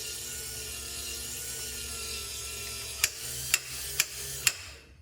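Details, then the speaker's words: Reassembled 1965-66 Thunderbird / 1961-64 Cadillac power antenna: the motor whirs evenly, then four sharp clicks about half a second apart as spring-loaded clutch ball bearings skip over studs at end of travel. Normal operation. "And that tells you when it's done, when you hear that clicking. And so that clutches it out."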